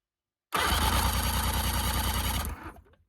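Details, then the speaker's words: Broken sportsboat's engine of unknown condition, first crank test: starter cranks about two seconds at roughly three even compression strokes per second with no firing; engine turns with compression but won't start, owner suspects a burnt wire. "Yes! We've got compression. We've got compression."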